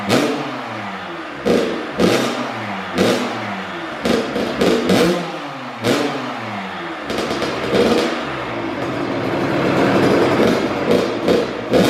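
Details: First-ever start of a brand-new Kawasaki KX112 with a Pro Circuit pipe, R-304 silencer, Boyesen RAD valve, VHM high-compression head and rejetting. Sharp revving bursts rise and fall evenly between a ringing two-stroke idle, with no misfire or rattle: running clean and healthy.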